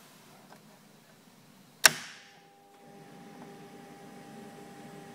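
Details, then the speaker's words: Ice bank system control board: a sharp relay click right at power-up after the solenoid, with probe wires removed and no demand, then a steady electrical hum; technician suspects miswiring or backfeed, later traced to a linked-out control and faulty ice level selector switch. "i don't know if this is wide right you know because i can hear that relay clicking after the solenoid"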